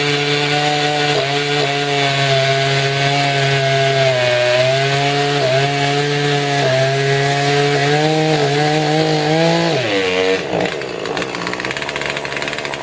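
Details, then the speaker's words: Old Poulan 3314 chainsaw being restored, adjusted while cutting: howls steadily under cut, then flutters and burbles unevenly at high rpm mid-cut; four-stroking from a rich high-speed mixture. "so as you can see it doesn't quite run right so I've been messing with it as I've been cutting because I like to adjust them finally mid cut because that's where they're really gonna need to perform you could hear it fluttering a little bit the high rpm range around mid cut"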